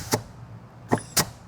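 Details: High-horsepower diesel transmission, air check of forward and third gear drum: three short sharp air blasts, each with a quick firm thump as the forward clutch applies; normal forward clutch apply.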